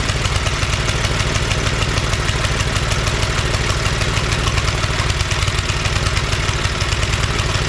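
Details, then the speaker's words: Neglected John Deere tiller revived after sitting in tall grass, after idle-screw and governor adjustments at open throttle: fast, even single-cylinder running with no misses or hunting. Engine works; belt may be too tight. "all right that's awesome Motor Works we just got to play with it"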